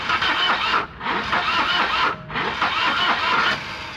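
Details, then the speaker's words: 1985 Volvo 240 that sat in the woods, fed brake cleaner: three bursts of fast, rough cranking that catch briefly but never settle into an idle; the engine is loading out and smoke comes from the dipstick tube, cause not confirmed. "so what's happening is the uh motor's loading out MH uh partly because it is firing on the brake clean but what I'm seeing is smoke coming out of the dipstick tube which is right right here"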